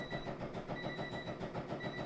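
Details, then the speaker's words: Flood-damaged hurricane-salvage Acura NSX with its electrics powered by a 12-volt supply for testing: thin electric whine coming and going from the rear as the power antenna motor runs normally, after the headlights dropped down. "Oh, and I hear the power antenna going back there."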